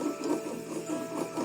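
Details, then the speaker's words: Motorcycle engine, crank turned by hand with the side case open: slow rhythmic dry rumble and scrape about twice a second, with slight play at one point; worn crankshaft main bearing, fix is replacing the bearings. "Conforme vai rodando aqui em certo ponto ele apresenta uma folguinha mas olha como ele tá roncando ó até passei um um pano aqui ó para não para não achar que é a biela que tá Tá roçando aqui na carcaça ó ó o barulho do rolamento"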